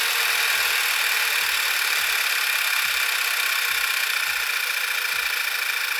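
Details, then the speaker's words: 2012 VW Beetle 2.0T TSI turbo, 40K miles, idling right after new Audi R8 red coil packs and NGK iridium plugs were fitted for sluggishness and slow starting; steady idle under airy hiss, no misfire stumble or uneven beat. Sounds good, normal idle. "Okay, so it sounds good to me."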